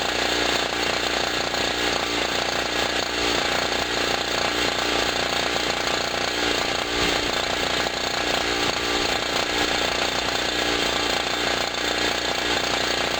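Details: Generator after its first cold start of 2016, having sat about a year, loaded with a 40 W bulb and a loud air pump: a steady buzzing engine drone holds even output under the pump's chatter. Normal running under load.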